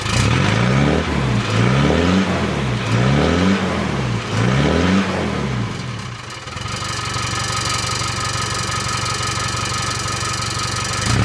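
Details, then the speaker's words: Land Rover 300 Tdi diesel, heard from the rear after the old exhaust was rebuilt and rewelded, tailpipe refitted: revs up and down in smooth sweeps, then steady idle; no rattle against the body, exhaust fixed. "all fixed didn't even rattle it's it's clear in the body perfectly that's great that is it sounds good"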